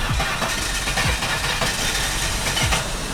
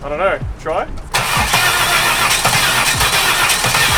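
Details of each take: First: Holden Commodore with 130,000 km, first start with a dead battery, spare battery fitted: engine idles with a fairly even beat and some clatter around it, no misfire or knock standing out; runs like a clock, healthy idle. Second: Holden Commodore bought as a wreck, about 130,000 km, on a spare battery: the starter turns the engine in an uneven, lumpy rhythm of about 2.5 beats a second with no catch. Sounds like it is compression-testing itself; possibly blown engine.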